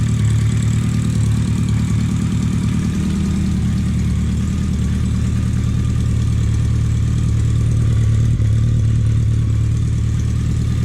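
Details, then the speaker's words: BMW K100 cafe racer build, first start after troubleshooting a no-start with temporary fuel setup; deep, steady idle with firm low rumble, no knocks or misses; sounds mean; normal idle. "Man, I don't know if the microphone will pick this up, but that sounds mean."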